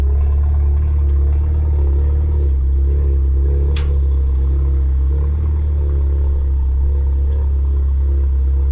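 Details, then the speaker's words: Newly bought German car of unknown history idling on the trailer, oil level unknown; deep, heavy, steady droning rumble with a coarse low exhaust note, loud rough exhaust, cause not yet known. "Oh, that sounds horrible. I do not like how that exhaust sounds."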